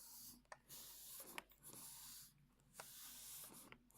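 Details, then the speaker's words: Olympus 12-40 Pro lens on a Panasonic Lumix G8, camera off. Soft airy swoosh each time the zoom ring turns, short strokes with quiet gaps, smooth with no grinding; normal zoom noise, unlike the grinding heard with the camera on. "camera is now off and there's the soft swoosh sound when zooming as expected I would say"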